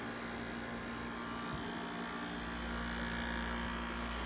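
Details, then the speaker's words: 1989 Panasonic 5000 BTU window air conditioner, out of its chassis: running with a good charge, pressures quieted, warm air off the condenser. Steady low rotary buzz and mains-like hum under soft airflow hiss, always present. Normal rotary compressor buzz. "so running with a good charge yet the pressures quieted down a little bit still has that difficult kind of rotary buzz never goes away"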